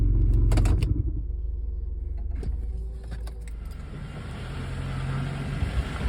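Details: 2003 Honda Element after driving 200 miles in limp mode following a downpour: low engine rumble with loose metallic rattles and clicks; loose manifold heat shield and exploded catalytic converter rattling in the muffler.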